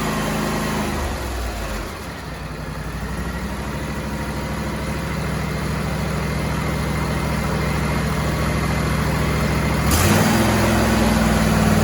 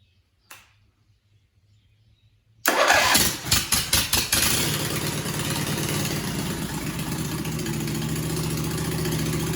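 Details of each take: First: John Deere-Suzuki hybrid outboard after wiring work: steady low, smooth idle with a brief rev and quiet exhaust; runs healthy, much quieter than before; normal idle. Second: John Deere/Suzuki "Frankenstein" outboard engine started on choke without a muffler: a few cranking catches, then a harsh, loud bark.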